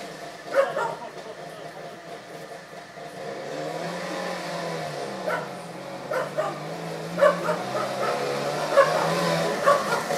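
Two-stroke runs and revs up and down steadily after years parked, pitch rising and falling, with a dog barking nearby.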